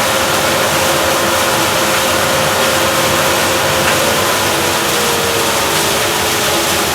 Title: JCDC-2 Squealing Noise